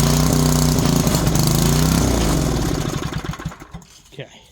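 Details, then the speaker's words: 1970s Briggs & Stratton 4 hp engine on an air compressor, after fixing a tangled stiff starter rope: small single fires and runs with a steady even beat, then winds down at shutoff; normal running. "definitely runs a lot pulls a lot better as well"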